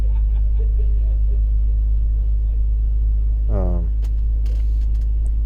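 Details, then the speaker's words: 2004 BMW X3 3.0L six after the cylinder 1 misfire codes were cleared: low, even idle hum with a steady beat, no stumbles or misses, smooth running values; normal idle. "let's go back to smooth running values look at that that is very smooth"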